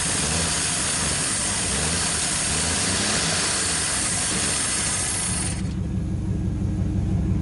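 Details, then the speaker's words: 1959 Chevrolet Apache running after first start in years, smoking: engine sits at a fast, hissy idle that never drops back; carburetor throttle not closing, fast-idle choke piece suspected. "Hereby dubbed the Smoky. an issue with the carburetor. For some reason it's not closing up. It's either wide open or something ain't right."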